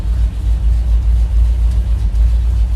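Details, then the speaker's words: Ford FE V8 in ramp truck after ignition tune-up and distributor rewiring, cold start after sitting overnight: loud, deep rowdy rumble at brisk steady fast idle on choke, even firing, no misses; firing order sounds correct, running healthy. "Will it actually fire up easily or not? I thought it was going to be like super easy. Not too bad. Hello, choke."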